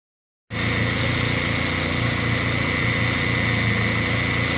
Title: Bad alternator bearings.